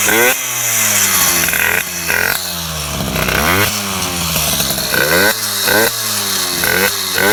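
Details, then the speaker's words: MBK 51 two-stroke with Bidalot G2RR cylinder, 24 mm Maikuni PWK carburettor, Ninja G2 exhaust, revving: blubbery and uneven at low rpm, cleaner up high; mixture too rich at low revs, with intake and carburettor popping audible. "on le voit que c'est trop riche he bon le bas régime c'est sûr c'est trop riche mais le haut régime je pense qu'on peut améliorer encore"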